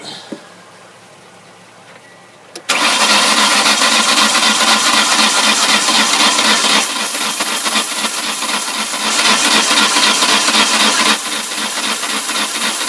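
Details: '99 Ford Escort cranking. The starter churns steadily about four beats a second for ten seconds and it never catches. Suction and blowback are felt at the intake while cranking; cause unknown.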